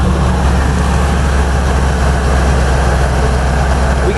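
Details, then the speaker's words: 480 hp Corvette LS3 swapped into a heavy JK Wrangler on 40s: loud, deep V8 idle around 750 rpm with a slightly choppy low cam rumble, clean exhaust; normal idle with aggressive cam. "this engine is close to 500 horsepower and it definitely has a little cam to it a little Rumble at idle which is the compromise you're going to pay for for that horsepower"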